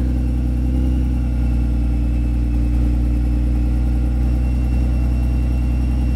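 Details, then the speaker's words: Subaru Tribeca 3.0 H6 boxer with new water-cooled VLC supercharger kit, fully custom exhaust: deep, even, loud drone at fast cold idle; nothing wrong mechanically, exhaust noise drops when warm since cold mixture runs rich. "when it gets warm it the noise is a bit less because uh well Rich of fuel mixture"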